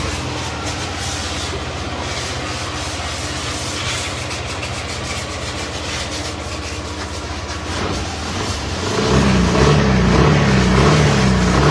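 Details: Yamaha Aerox scooter idles evenly with a low steady hum after replacing a faulty chain tensioner with broken spring that caused a knocking "kit kit" noise; no knocking now.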